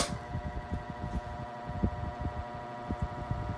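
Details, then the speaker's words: Mid-to-late 1980s Sears-rebadged Lasko 2150 12-inch desk fan, dirty, before repair, on medium: steady hum with uneven light ticking and rattle, worse at higher speeds; partly warped off-balance blade, not confirmed. "On higher speeds it gets a lot worse. Almost sounds like a vibration or a buzzing."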